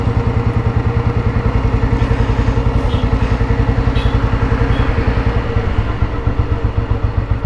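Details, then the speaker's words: 1987 Royal Enfield Bullet 350 fitted with a full-core silencer, idling: slow, regular big-single thump about three and a half beats a second, evenly spaced; sound is fine, engine healthy. "ഇതിന്റെ sound കേൾക്കുന്നുണ്ടാവും കേട്ടോ കുഴപ്പമില്ലാത്ത sound ഉണ്ട് full core silencer ആണ് വെച്ചിക്കുന്നത്"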